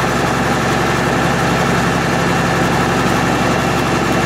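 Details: MEP-006A military 60 kW diesel genset, first run after sitting 3+ years, enclosure doors open, circuit breaker off: steady, even low thrum at constant speed, no knocks or hunting. Running healthy; frequency reading not displaying correctly.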